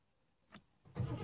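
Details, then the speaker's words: Rover P6 with an intermittent no-start; the owner suspects dodgy wiring to the starter. Silence, a faint click, then the starter cranks in late: delayed starter cranking, cause not confirmed. "Nothing again. It's delayed when it is happening."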